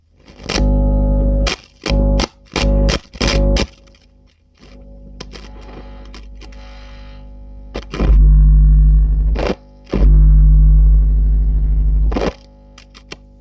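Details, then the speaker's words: Hiwatt PA100 6-channel 100-watt tube PA amp: loud humming distorted bursts as channel 2 is driven, same as channel 1; noise on all channels, fault suspected downstream of channel preamps, to be checked on scope. "Okay, so we've definitely got an issue, but if it's affecting all 6 channels, then you might argue that the problem must be downstream of all of those channels."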